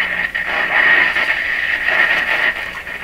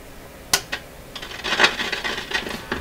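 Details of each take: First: Japanese 1970 Strauss solid-state AM/FM tabletop radio on the AM band through a larger bench speaker: station comes through clean with no low drone under it; no mains hum. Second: 1970 Japanese-built Strauss AM/FM tabletop radio with dead FM, on AM: irregular scratchy crackles and pops while the volume slider is worked; the slider is likely lifted off its track by dirt, opening the circuit.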